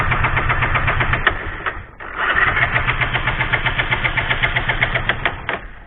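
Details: Bajaj Pulsar 135 with lost ignition, no spark; fuel checked fine. The starter whirs with steady cranking pulses at about four a second, pauses, then cranks again but never catches. Cranks, no start.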